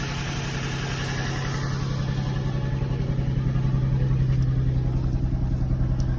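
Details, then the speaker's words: Nissan 350Z/G35 idling after valve cover gasket replacement: loud, raspy, blatty low puffing from more than one hole in the exhaust. Engine runs fine with no fuel smell and sounds better than before; exhaust leak, likely needs a new exhaust. "there's definitely holes and there's more than one hole in the exhaust yeah i think you just need a new exhaust"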